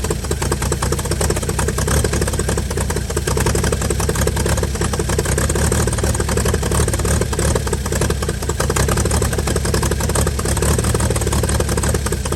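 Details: 1955 Chevy inline six truck revived after sitting about 30 years, carburetor filled and leaking, just started: steady, even low idle, no knocks or misses; runs smoothly, normal idle.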